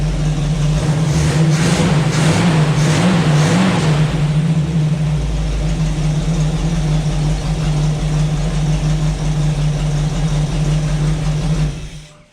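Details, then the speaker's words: Small-block Chevy V8 from a Jeep YJ, fuel fed directly from the tank, running: deep rumble with sharp throttle blips, then a steady, even idle before shutdown; sounds healthy despite needing work. "y'all that sounds so good oh man i want to drive this thing now"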